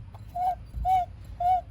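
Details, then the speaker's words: 2003 Mercedes E55 AMG (supercharged), engine off with belts removed, pulleys spun by hand during a check before alternator replacement: three short high dry squeaks; squeaky pulley, owner suspects the water pump may need replacing soon. "This sounds a little squeaky. It's 100% a squeaky noise. Might need a water pump soon."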